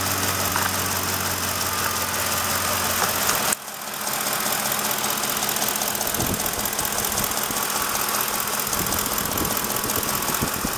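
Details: Ford F150 5.4L 3V Triton V8 at idle before repair: light quick ticking over the engine note; a mechanic replaced two or three coil packs and a couple of spark plugs, ticking gone and power regained.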